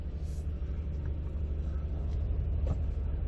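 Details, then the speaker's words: 2012 Nissan Frontier right after throttle body cleaning: engine hesitates, then idles high with a slightly uneven rumble; owner thinks an idle relearn may be needed; smoothed out once warm. "start the vehicle up and hesitated there a little bit I might have to have the vehicle relearn the Idol which is okay but start it up it's definitely running High still"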